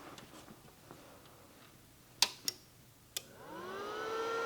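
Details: MP140T 120V inverter multi-process welder, plugged in and tested with the shell off after reassembly near the drive motor and control board: a few sharp clicks at power-up, then a smooth whir rising evenly as the fan spins up. Normal cooling fan.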